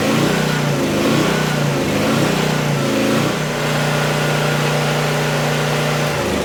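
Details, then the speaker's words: Vintage Honda EG1400Z generator, an auction find that would not run, fires right up and, after a brief rev, settles into a smooth, steady hum at constant speed with no hunting or knocking; the engine runs normally. "holy crap that's hilarious that thing fired right up didn't even worry about it just sitting here purring along"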